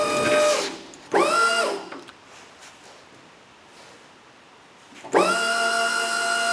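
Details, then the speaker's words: Electric pallet stacker hydraulic pump motor lifting forks to about 10 feet after rewiring with larger wire; quick spin-up bursts then a steady clean hum; nearing the top of travel, sounds better and may lift faster. "there you go you can hear the pump running out of uh running out of fluid there but we are about 12 maybe 16 inches from the top"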